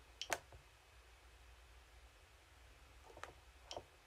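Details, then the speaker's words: JAZZ joystick in mouse mode in a quiet room: three short, crisp clicks over four seconds, each marking the stick passing its movement threshold. "when you do get it to move and it passes that threshold as you get you get a click sound hopefully you can hear that click there"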